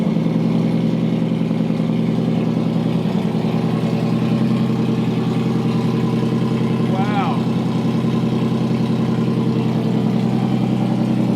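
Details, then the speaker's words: 2008 Toyota Hilux TRD 1GR-FE V6 during supercharger build, headers only with no exhaust and rear oxygen sensors out: loud, raspy but steady idle with even fast pulse, no misfire or knock; runs fine. "Dude, that sounds fucking insane. Listen to that. That sounds tough. It's got a bit of a V6 sound to it though."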